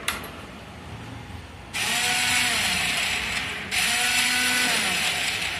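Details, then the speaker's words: Hero Passion Plus BS6 motorcycle self-start noise: two bursts of harsh rattling, ratchety whirring, each about two seconds, as the starter spins; suspected cut starter chain or faulty one-way clutch, not confirmed. "இதில் ரெண்டு விஷயம் நடக்கலாம். ஒன்று chain cut ஆகிருக்கலாம், இல்லைனா அந்த one way கிளச்சில் வந்து ப்ராப்ளமாக இருக்கும்."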